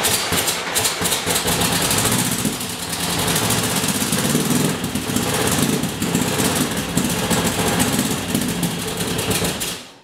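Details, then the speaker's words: 1977 VW Westfalia van engine with a major miss in one or more cylinders: lumpy, stumbling idle with irregular dropouts in the exhaust pulses, barely runs, no power, and a muffler is needed. "so that doesn't sound good at all now you know where i'm at with this"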